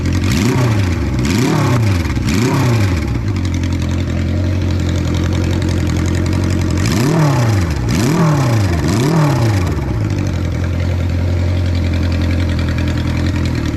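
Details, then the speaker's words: 1976 Honda CB550 Four, 10,409 miles, first start after 34 years, cold with the choke off, loud pipes: steady four-cylinder idle with quick throttle blips that rise and fall cleanly, no knocks or misses. Normal idle and revving. "The response on the throttle is immediate. Man, I mean, it sounds good. Those pipes are louder than I like, but I can't deny they sound really good."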